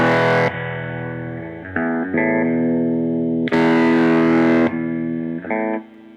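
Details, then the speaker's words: Ampeg Reverb Rocket amp before repair: guitar chords abruptly lose bright dirty edge and volume, then snap back when the footswitch cable is moved; cracked solder joint on the PCB-mounted footswitch jack. "that this thing when you move the cable back and forth, it cuts in and out."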